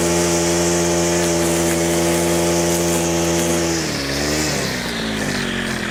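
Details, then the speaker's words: Stihl FS100 4-Mix brushcutter on its final test after a full service and throttle cable adjustment: strong, steady high-pitched drone that dips and recovers smoothly with throttle changes, now reaching wide-open throttle and no longer dying after minutes; normal running. "Right, as you can hopefully tell, that has made a dramatic improvement to how this Stihl FS100 runs. It's running really well now. It's not dying after a couple of minutes."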